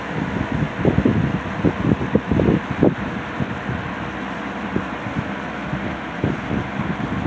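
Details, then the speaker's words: C&H Whizzer 20-inch box fan with replacement motor swapped from another fan (old GE two-speed motor had issues); high-speed startup: gusting air rush and low whirring steadying as blades reach speed; running normally. "So, we're just going to start off with the with the low speed. Sorry, the high speed has a really cool startup sound to it, too, by the way."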